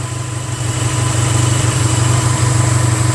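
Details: 1985 Honda Sabre VF1100 V4, revived after sitting four to five years, running with no choke after complete carb cleaning: even, quick beat that rises smoothly with throttle. Normal throttle response; some valve ticking and smoke noted afterward.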